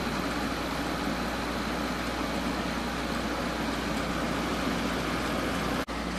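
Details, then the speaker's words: GE 12,400 BTU window air conditioner, first test run on low fan with compressor running: steady even hum and airy rush, no knocks, rattles or cycling; compressor and fan running smoothly. "Alright, let's give it a test run. There's low fan. Compressor's running."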